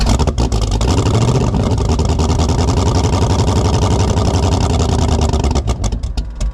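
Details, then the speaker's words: 1984 Fox Body Mustang drag car, cold start at about 20°F with no choke and an 878 CFM carburetor on roughly 350 hp: long cranking, then lumpy, uneven firing with a loud low rumble and surging revs, a hard, rough cold start. "We finally got this thing to stay running. And um the carburetor on it is way too big."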